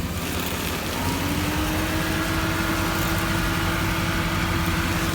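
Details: 2016 Ford Mustang GT, 11k miles, turning the steering wheel at idle: a faint tone rises and holds over the steady V8 idle. No clear grinding stands out; cause unknown.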